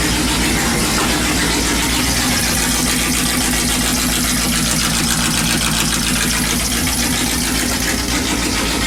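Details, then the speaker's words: Dodge Dakota with a swapped 5.2 V8, first run on the new open exhaust before the turbo is fitted. A very loud, lumpy, uneven beat. It is running rough, and the owner suspects the ignition timing is way off and firing too early. "sounds like the timing is way way off on it like it's firing too early so I'm gonna have to look into that later"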